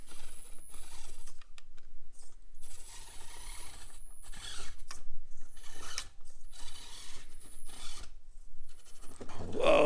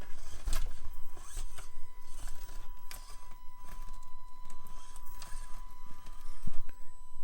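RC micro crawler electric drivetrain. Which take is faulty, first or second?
second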